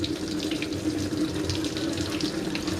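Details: Hitachi SF-160XTV 16 kg washing machine, repaired after it would not power on, with a steady hiss and splash of water pouring into the tub at an even tone; filling normally.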